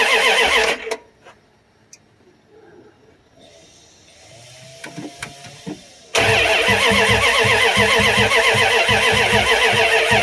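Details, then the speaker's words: 1994 Dodge Ram 1500 with the 5.2L 318 V8, cold after 4 years of neglect and rodent wire damage, fuel pump sending unit replaced, fuel poured into the throttle body, a connector left unplugged: the starter spins steadily with no firing. Cranks but no start. "it sound like it's firing? No. Hear any? No. And you got this unplugged, so it probably isn't."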